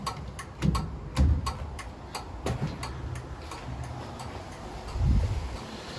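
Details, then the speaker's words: 1936 Chevy coupe turn signals: sharp repeated loud flasher clicks at a steady pace over a low background rumble, left signal flashing; flasher relay working normally. "well we have clicking let's go ahead and see quite a loud click can hear out my lobby"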